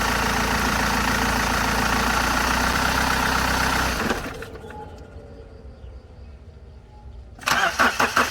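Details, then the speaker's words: BMW E60 520d, M47 diesel, after replacing the belt tensioner/idler pulley (weak spring) and a new belt: at start and shutdown the engine runs steady and winds down cleanly, with the former belt squeal now gone. "หลังจากเปลี่ยนชุดตั้งสายพานลูกลอกแล้วก็เปลี่ยนสายพานใหม่เรียบร้อยแล้วเสียงสายพานตอนสตาร์ทเครื่องหรือตอนดับเครื่องที่ดังเอี๊ยดนะครับเสียงสายพานเบรกที่ดังเอี๊ยดเนี่ยเงียบไปนะครับ"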